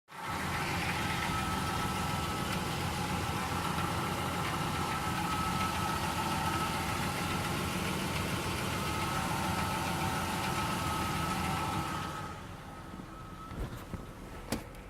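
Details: 2000 Ford Ranger 4.0 V6 at idle: loose, moderately regular knock, three to four a second, starting about 20 seconds after startup; began after a cheap oil change; P1309 code, no misfires logged, camshaft synchronizer recently replaced; cause unknown.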